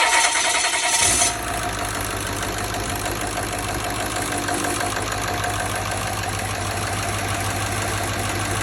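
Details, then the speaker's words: Ford reman OBS 7.3 diesel on a test stand, slightly warm from an earlier run, started on one positive wire after the glow plug relay clicks: brief crank, then it fires and settles into a steady, even idle with no misses or knocks; normal. "It basically fires up and it's going to run like normal, okay?"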